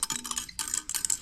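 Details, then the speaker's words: Part removed during a Dodge SRT-4 engine reseal, shaken by hand, gives light metallic jingling in short bursts, like a spring loose inside. Cause suspected, not confirmed. "I ain't never heard nothing like this sounds like a spring inside there is"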